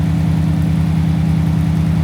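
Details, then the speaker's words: Daimler Majestic Major hemi V8 limousine, still showing no temperature, idling after a few revs: a deep, even burble with every pulse the same strength and no misses or knocks. The exhaust is a bit smoky, but the engine is healthy. "oh yeah that's a nice sound she's a bit Smokey but that's a really healthy engine"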